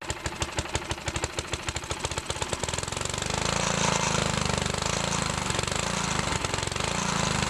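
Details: Older Briggs & Stratton 3.5 HP mower engine without primer, just after carburetor and diaphragm reinstall, carb screw about two turns out for adjustment: quick single-cylinder beat, ragged at first, then steady fast run; engine running properly.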